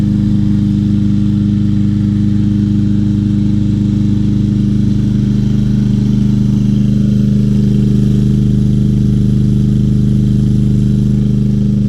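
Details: Free 2020 Craftsman M320 self-propelled mower, 163cc Briggs & Stratton, said not to start, now running with a clogged air filter and dull blade, one of the best running: steady, even drone at constant speed, no knocks or misses; normal running.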